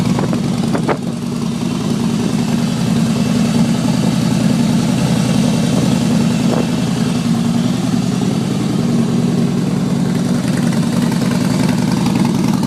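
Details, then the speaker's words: 2011 Harley-Davidson Fat Boy Lo after a DIY exhaust swap with new manifold gaskets, no fuel management chip fitted: steady loping V-twin idle with a deep even pulse and no popping or backfiring. Owner believes it runs lean from factory programming. Normal idle. "So until I put a chip in it, it's going to keep running lean, but it runs fine. There's no popping, no backfiring."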